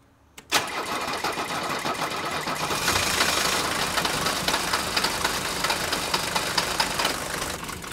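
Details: Mercedes 123 diesel "Digby", starting: starter whirs, then harsh lumpy clatter with irregular loud knocks at idle; still running rough and smoking a lot, cause not yet found, EGR valve under discussion.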